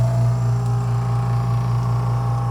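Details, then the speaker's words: Doyle Garage Air-N-Vac Station air compressor running after switch-on, adjustable relief valve (up to 100 psi) starting to relieve as the hose fills; steady low hum with even pulse, no knock or squeal: normal running. "hose is going to fill with air, and you'll hear it starts relief. It's relieving now, okay?"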